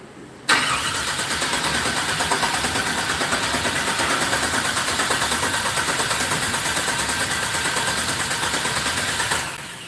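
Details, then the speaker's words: 1964 GMC with Holley EFI, after fixing the MAP sensor setting, adding a body ground and extending the O2 sensor pipe: it cranks steadily about nine seconds but never catches, giving only a little pop that seems to come from the driver-side bank. Crank no-start. "why does it not work the same thing just gives a little pop yeah"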